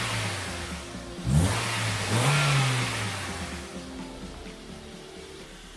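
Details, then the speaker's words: Honda Civic EM2 with D17A2 engine, running after tightening an exhaust valve adjustment; steady idle, crisp rev climbing and falling smoothly, no ticking or tapping; normal idle and rev. "tightening up this exhaust valve was made old world of deference this engine sounds fantastic now everything sounds good real good"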